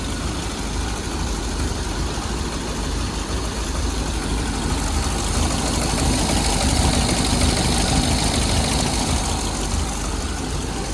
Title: 1932 ford startup , customer states no start issue. We fixed it @ KC Classics!